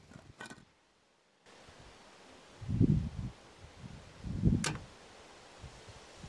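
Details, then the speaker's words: Nissan Leaf 24kWh battery in DIY home solar storage build, BMS communicating via LilyGo emulator, mic placed on the battery: two dull clunks about 1.5 s apart as the main relay powers on; normal engagement. "So let's turn on the power to the main relay inside of this battery. Hopefully you can hear it."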